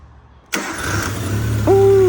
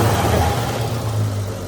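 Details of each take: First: Used 1.3L engine freshly installed in a tintop, first start after being dry with no oil at first and turning stiffly. A short crank, then it fires instantly into a steady, even idle; heavy smoke is expected as it warms. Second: Used 1.3L engine freshly installed in a tintop, ignition not timed: engine catches and runs with a low, slightly uneven rumble and some revving; rough running, likely ignition timing off.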